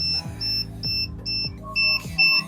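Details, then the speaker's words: Hoverboard opened up, controller boards and battery exposed, switched on while upside down: steady high-pitched beeps, about two a second, each roughly a fifth of a second; the board's upside-down tilt warning. "ఇది on అయింది అంటే మనం దాన్ని తలకిందులు పెట్టాం కాబట్టి అలా beep sound వస్తుంది."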